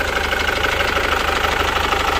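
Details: 2012–2013 Chevrolet Captiva Diesel FL run on Biosolar, hard to start and smoky: rapid, evenly spaced clatter pulses over a gruff idle; fuel contamination suspected; rough idle with knocking.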